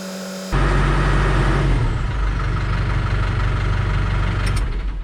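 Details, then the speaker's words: New Holland TS100 tractor diesel started after a fuel filter change and held at about 1500 rpm to draw fuel through: it catches instantly and settles into a steady, even drone without stumbling; runs clean. "All right, I think we're good. That fuel filter sucked in there nice and tight. I didn't hear it. Sounded like it wanted to die, so that's good."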